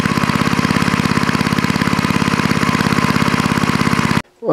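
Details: Quick, steady single-cylinder popping at an even pace with no misses or stumbles; an old snowblower-collection engine running smoothly after its dirty carburetor bowl and float were cleaned with carb cleaner and reassembled.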